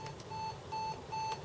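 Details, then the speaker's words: Sega Mega-Tech multi-slot Megadrive/Genesis arcade board in output test mode, alarm triggered with select: steady clean beep near 900 Hz repeating about every 0.4 seconds, the same warning heard when game time runs out; beeper works normally. "can hear that beeping and i'll show you in a minute when we go into the game and the time runs out that's what you hear"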